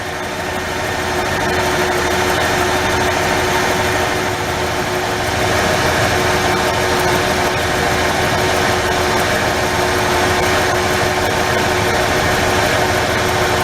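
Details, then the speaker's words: 1994 Ford F-150 4.9L at idle: rough, stumbling beat with irregular dropouts. The spark line on cylinder 3 shows periods of zero firing voltage during a 30-second test. Misfire from spark loss, suspected primary ignition problem. "See those spikes? There's a time during this period, it's a 30-second period, that get no spark. That's your miss."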